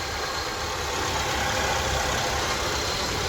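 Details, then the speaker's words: Suzuki SX4 petrol/CNG after fixing a fuel pump problem that caused misfire and no-rev on petrol: even idle with faint steady bearing hiss from a worn idler pulley bearing. "आवाज bearing में है इस हल्का idol bearing का है वो"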